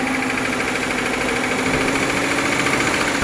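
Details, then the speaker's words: 2009 Toyota Aurion 2GR-FE V6 running with abnormal noise: quick, steady knocking tapping in time with the engine, caused by spun crankshaft bearings, crank also damaged; engine removed. "तो यह आवाज engine में तो यह wine बारे में की वजह से ही है यह जो खराब हो गया कहते हैं कि पीछे फिर गई है जल कि वह यह बैरंग जो अपनी जगह से घूम जाते हैं इनको कहते हैं पीछे फिर जाना"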